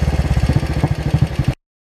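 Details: 2003 Royal Enfield 500 iron-barrel with new performance carburetor replacing stock, Gold Star muffler: firm regular single-cylinder thumping, even and steady; idles cleanly.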